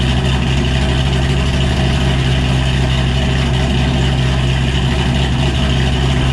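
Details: 2007 Ford Shelby GT500 with cam, being moved: deep, heavy V8 rumble, steady and strong with slightly choppy cam beat; nothing abnormal, healthy idle.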